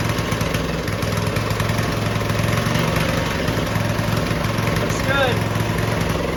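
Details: Early-1990s Russell Coyote Bullet go-kart, small single-cylinder engine, first start in 14 years after reassembly and refuelling: runs steadily on choke at a fast, even putter with no knocks or misses; it runs again.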